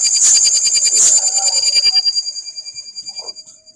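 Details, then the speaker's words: Sukam inverter on the bench with the battery connected: a shrill, fast-pulsing alarm starts once mains is connected. It indicates a blown fuse, a burnt fuse holder or a burnt connector on the circuit board, which should be repaired. "इसका मतलब फ्यूज़ पीछे से गया हुआ है या फिर फ्यूज़ का होल्डर जल गया या फिर जो सर्किट बोर्ड में कनेक्टर लगी हुई है कनेक्टर जल गई है।"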